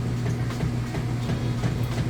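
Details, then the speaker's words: Whirlpool top-load washer with center agitator, tub filled fully with water: even repeating chug of agitator swishing back and forth with a low hum underneath; agitation working normally. "But as you can see here, you can hear it running. Lift it up, you can see it moving."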